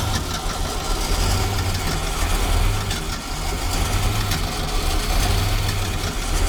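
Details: 1976 Ski Nautique V8 boat engine, Pertronix D231801 distributor, first start: heavy uneven low rumble surging and sagging, won't hold steady idle without throttle opened; owner suspects clogged carburetor jets, plans carburetor replacement.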